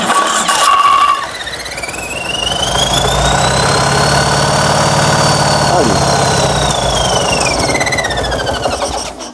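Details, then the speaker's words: Fiat 126p engine on 92% denatured alcohol instead of petrol, carburetor drained and refilled: the starter whirs steadily with a high whine for several seconds and the engine never catches; it won't fire on denatured alcohol. "pali i nie pali zobaczymy jeszcze raz ale coś gaśnie jeszcze raz dziwne"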